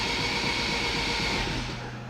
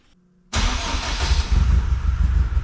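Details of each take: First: AWD Civic Type R new engine, first crank before plugs fitted: even, fast whirring spin with no grinding or binding, oil pressure 45–50 psi, fuel pressure 35 psi; normal cranking. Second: AWD-converted Honda Civic Type R, freshly rebuilt engine, first start: cranks and catches at once, brief rev, then low, slightly uneven idle; oil pressure fine but idle speed too low, short run.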